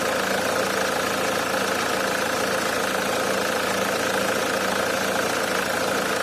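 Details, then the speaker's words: Nissan AD 2001, 2.2 YD22D diesel, manual, 260k km, summer, just after start: light hard metallic tapping about two a second over steady idle clatter; fades after 5–10 minutes, returns under load; owner suspects injectors, unconfirmed. "звук идет откуда-то вот откуда примерно оставляем так работать минут на пять-десять звук проходит"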